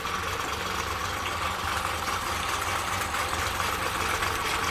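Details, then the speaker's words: Honda 30 outboard idling after repair (it had been knocking): steady, even idle with no knocks or ticks under water splash. Lower unit overhauled, carburetors cleaned again, cooling and thermostat working. Normal idle. "so it works without noise, everything is fine, no knocks, the lower unit has been overhauled."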